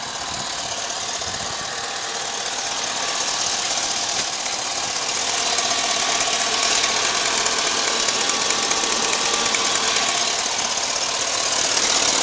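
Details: Engine at full operating temperature, idling: a steady, fairly even tapping about three times a second over a hissy background. The owner suspects a bad knock on the driver's side; cause unknown.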